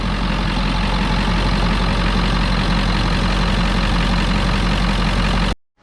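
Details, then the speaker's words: Ford 7.3 Powerstroke diesel at first start after a turbo rebuild, new injectors, valve covers, glow plugs and wiring: deep, steady, even idle with no knocks or misses; the engine runs well, though boost leaks are visible at the turbo pipe. "She started though. She's running, the motor sounds good. Started it twice now."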